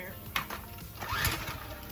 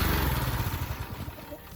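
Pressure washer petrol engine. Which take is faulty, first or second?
first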